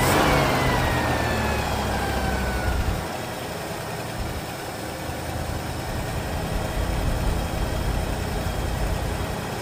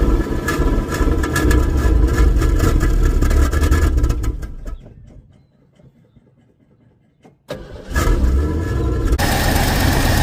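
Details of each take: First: Partially restored classic Ford Fairlane that sat for years, first start after replacing hardened accelerator pump: catches, revs, settles to steady somewhat rough idle; smoking, transmission won't hold gear, suspected low fluid. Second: Partially restored classic Ford, first run after replacing a hardened carburetor accelerator pump: engine cranks, catches and runs with a deep steady rumble, dips briefly, then picks back up and keeps running.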